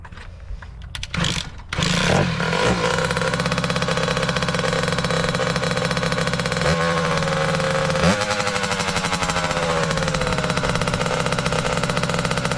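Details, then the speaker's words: 2003 Kawasaki KX60 two-stroke mini bike, possibly first run in a long time: fires and settles into a steady ringing buzz with a blip of revs, holding only on choke and dying when the choke is turned off. "See, as soon as I to turn the choke off, it does. So, that's an issue."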